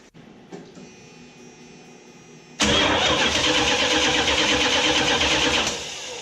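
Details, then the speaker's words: 1979 Chrysler Cordoba with a few-years-old original-style direct-drive starter, before gear reduction starter install: long, dragging, whiny crank for about three seconds before catching; slow-cranking starter. "It is fairly new, it's only a few years old, but it's a slow turner. So when it starts, it sounds really long and whiny and dragged out."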